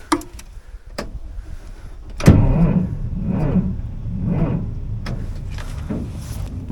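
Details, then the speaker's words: Caterpillar D7H Series 2 dozer after good battery cable connections were made: heavy, labored cranking, about one slow compression push per second, never catches. Slow cranking because the battery is too dead, before charging. "I finally made good connections between the batteries and the cables, but now the battery is just too dead to be able to start on this whole thing."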